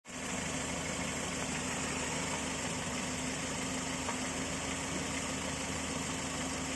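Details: Volvo 940 engine at fully warm idle; a light hollow knock over an even idle that appears only when the engine is fully warmed up; owner suspects piston slap, unconfirmed.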